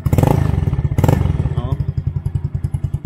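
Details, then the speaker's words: Yamaha Mio Sporty scooter after an endurance ride, idling: single-cylinder exhaust sounds thin, rattly and can-like ("parang lata"), its sound changed; owner plans adding fiber packing inside the muffler to restore it. "Parang lata na yung tunog ng natin ng tambucho. So kailangan magawa natin ng paraan yan."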